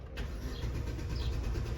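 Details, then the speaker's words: 2014 Chevrolet Aveo 1.6, towed in: starter churns steadily and RPM reads on the scanner, but the engine never catches. An earlier computer-related code no longer appears. The fuel pump is suspected; spark is checked next. Crank, no start. "Ahí tenemos las RPMs, pero no nos prende."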